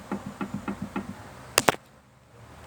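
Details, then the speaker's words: Peugeot 206/207 SW rear axle: four or five dull knocks in about a second as the rear trailing arm is levered by hand; worn trailing arm bushings with play, all four to be replaced. "esse aqui ele tá com uma folga e E aí bom então aquele faz barulho"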